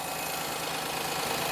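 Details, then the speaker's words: Perodua Kenari: smooth, steady idle with no stumbles, holding speed well; owner suggests a touch high, around 900 rpm, is about right; normal idle. "like an absolute Trooper yeah maybe a TCH High 900 is probably where you want to be"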